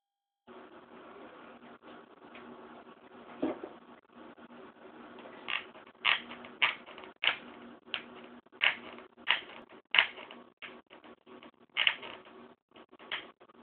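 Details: 15-inch MacBook Pro with Retina, warmed up: sharp irregular clicks and creaks over faint fan hum; case suspected to brush against the cooling fan, which was deemed normal.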